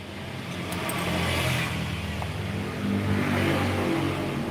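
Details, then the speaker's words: Yamaha RX two-stroke motorcycle revving with rough, rattly clatter under the exhaust note, worst as revs rise. "ini motor suaranya kasar kempruyuk gitu maseh kita lagi analisa penyebab suaranya apa saja begitu"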